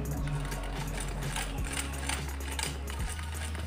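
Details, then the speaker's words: Sewing machine test run before the rotary pusher is bent (the fault behind bunched bottom thread, thread breaking and noise): a rapid, even stitching whirr with no clunks or catching, and the machine runs well. "biar lebih jelas Hai pedeto teman mesinnya bagus sangat bagus"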